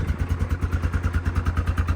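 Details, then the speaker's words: Yamaha Grizzly ATV revived after sitting (radiator leak repaired, oil changed to Lucas high-zinc plus stabilizer): started right up after two thumb-throttle pumps. Steady, even thumping of about 9-10 beats a second with no misses or clatter; healthy single-cylinder idle. "it runs pretty good I started it up it started I gave it two thumb pumps and uh kicked on the uh ignition it started right up didn't even crank"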